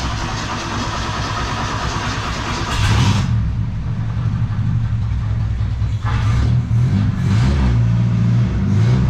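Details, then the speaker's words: 1972 Ford Pinto, first start on the restored Motorcraft carburetor: the engine catches and runs with a few uneven throttle blips over a low steady rumble. Air-fuel mixture adjustment is still to come. "She's a running, y'all. Up. Running, y'all. Up."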